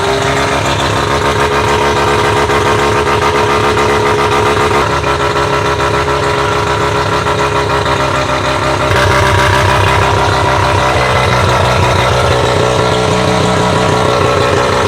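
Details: Bridgeport-ported rotary, running after a hard-start struggle, idling up to operating temperature: choppy, loping idle with an uneven beat but steady overall; normal lumpy bridgeport rotary idle.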